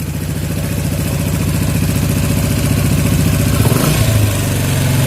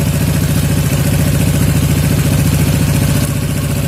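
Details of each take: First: Yamaha Jupiter MX 135 carburetor setting, air screw backed out counterclockwise to find highest idle: quick throttle blip, then revs drift down slowly and hang before settling; air screw still needs adjusting until revs drop without hanging. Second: Yamaha Jupiter MX 135 (old) carburettor after air-screw adjustment (about one and a quarter turns out) for highest idle: even, low, steady putter around three and a half beats a second; revs no longer hang on throttle release, idle properly set.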